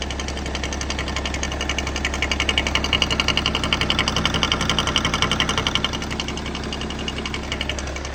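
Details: BMW E60 M57 diesel idling with the oil cap off: sharp regular knocking about twice a second over the diesel clatter, caused by the vacuum pump; harmless to the engine.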